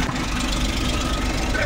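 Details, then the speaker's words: Suzuki Every Wagon small petrol engine after repair of a misfire on cylinder 2 that had made it vibrate with steady rpm: steady, even low idle with no stumbling or skipped beats; misfire gone, normal idle. "So ayos na. Wala ng mispfiring. Wala ng palyado."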